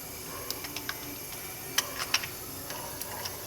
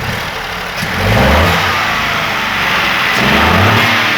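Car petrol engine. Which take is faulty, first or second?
first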